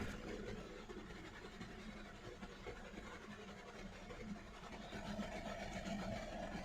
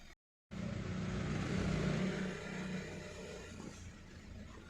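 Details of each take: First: Hyundai Verna Fluidic 1.6 L petrol at idle, no fault codes: low uneven stumbling beat about four pulses a second; misfire counter shows severe misfire in cylinder three, check engine light blinking; also loses pickup and sometimes stalls while driving. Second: Hyundai Verna Fluidic 1.6 L petrol, after misfire repair: exhaust now normal with no popping and no silencer vibration; engine rises gently and settles with an even, steady note, running smoothly.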